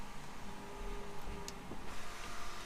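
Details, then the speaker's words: BMW E90/E91/E92/E93 3 Series, key on, sunroof button held for about a 30-second reset: a soft, even motor whir with faint clicks, heard in the cabin. The sunroof recalibration cycle completes normally. "keep holding the button until it does its whole little thing here. That is going to reset and recalibrate the sunroof. There it is, it's done."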